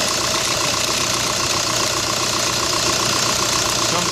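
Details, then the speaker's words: 2005 VW New Beetle TDI turbo diesel at idle with A/C on: hard, gritty screech and grinding from the serpentine belt drive; belt already replaced, fixed by replacing the bent-shaft alternator and worn original tensioner pulley. "Acy is not on it hasn't been on it was screeching right when I started it"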